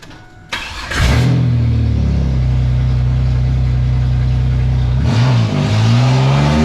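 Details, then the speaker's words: 2002 Chevrolet Camaro V6 before LS swap, weak and partially destroyed: engine revs hard with loose, uneven rattle and knocking over a low roar, smoky, during burnout; badly worn knocking engine. "foreign goes the rattle rattle rattle wow that's a little smoky but it did a burnout"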